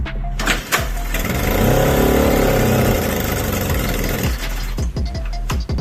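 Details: 1979 Suzuki JR50 two-stroke: kicks over and fires, holding a buzzy note that rises and falls, music behind it; runs fine.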